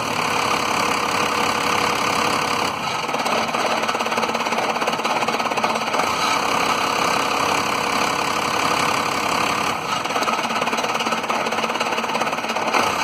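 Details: 1993 Dodge Cummins diesel idling rough with a loose knocking beat, sagging and stumbling every few seconds as if about to die, with low power; fuel pressure being checked, owner suspects the lift pump but unconfirmed.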